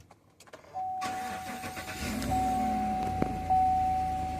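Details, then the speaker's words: 2015 GMC Yukon after fitting a used preprogrammed E92 PCM and key learning: brief crank, catches at once and settles to smooth even running under a steady chime; starts, runs and drives normally. "so everything is good it starts runs drives I'll be able to move the vehicle"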